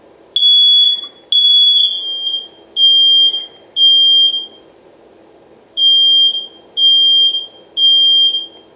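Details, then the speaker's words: Smoke and carbon monoxide alarm tested by pressing and holding the button: loud, high, piercing beeps in a three-then-pause pattern. The chime means the alarm is working normally. "if you hear the chime then it's working fine"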